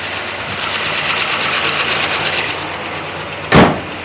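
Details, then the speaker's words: 1966 Ford Country Sedan big-block FE V8, just started after a cam and solid-lifter swap, idling roughly with a fast, sharp ticking: an exhaust leak, believed at cylinder six, blowing out the side of the manifold. "You can really hear that exhaust leak uh ticking out. It's on I believe number six just blowing directly out the side."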